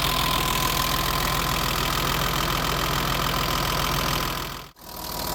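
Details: BMW 325i E30 M20, cold idle after valve clearance adjustment to manufacturer values: steady tick of about 3.5 per second over idle; cause unconfirmed.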